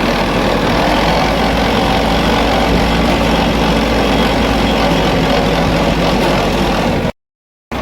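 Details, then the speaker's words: VST Shakti MT 270 small tractor, noise in 2nd and 3rd gear: diesel runs steadily with a coarse, busy "tarr" mechanical drone over the engine note, a noisy gearbox needing repair. "त्यांना कळत असेल की आपल्या ट्रॅक्टरच्या दुसऱ्या तिसऱ्या gear मध्ये आता फार जास्त आवाज येतो आणि आता पण आवाज येतो बघा आता टरर आवाज येतो"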